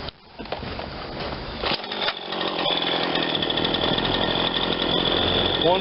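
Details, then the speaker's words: Ryobi 40cc chainsaw after primer bulb and carburetor work, hot restart after a minute or two of running: short pull fires straight up, steady buzzy high idle without stumbling; high speed possibly slightly lean, otherwise runs fine. "i'm gonna go for a hot restart now i've got it all heated up and i've been running it for just a minute or two"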